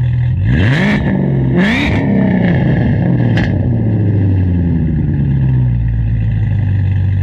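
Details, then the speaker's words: BMW E39 540i 4.4 V8 after swapping in the newer-style intake manifold parts (11611729528) with a spacer plate; owner notes it's louder, especially in the mid-range: two blips with revs climbing and falling cleanly, then a steady, even idle with no knocks. "That being said, we'll fire it up, show you what it sounds like. I've noticed it seems like it's quite a bit louder, especially like in the mid-range."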